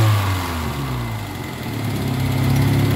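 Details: Kia Pride after XADO engine treatment for white smoke, low power and vibration, engine left running; settles from a rev to fairly steady low idle, even beat, no misses; smoke minimized, though one to two hours of treatment said needed.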